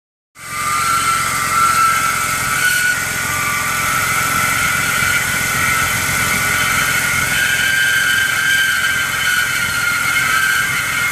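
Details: BMW E46 engine idling cold: a steady high-pitched squeal from the engine bay caused by a worn belt idler/tensioner pulley; resolved by replacing the belt pulleys with a kit.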